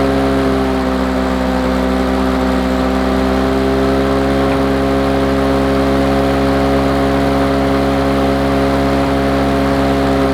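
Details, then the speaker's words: Lawn Boy two-stroke mower after the brass carburettor bolt was turned in, previously very rich with low revs: busy buzz at fairly steady revs with an uneven, slightly lumpy beat. Better but still not perfect; rough running, cause unconfirmed. "right then so that runs runs a lot better than it um bit of a snow there it runs a lot better than it did before but it's still not quite perfect"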